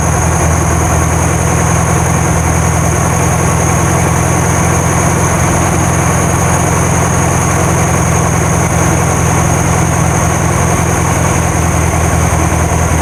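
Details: 1972 VW Karmann Ghia flat-four, first run after sitting for many years, no choke set up and valves not yet adjusted: deep, steady idle drone with a slight wobble, a little jumpy. Normal idle.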